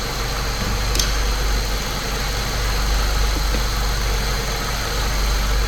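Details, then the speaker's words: 2005 Saab 9-3 Turbo idling after spark plug replacement fixed a slight misfire, camera on top of the engine; steady, even low, smooth hum with no stumble or miss, running cleanly. "I've set the camera on top of the engine so you can kind of get an idea of how smooth it's running."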